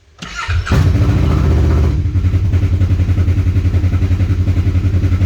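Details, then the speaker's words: 2020 Kawasaki KRX 1000, first start after installing Dynojet ignition coils to fix loading up at low rpm: starts first try, flares, then drops to a lower, quieter, even idle with no misses. "Looks like it lowered the RPM a little bit. Machine sounds like it's quieter."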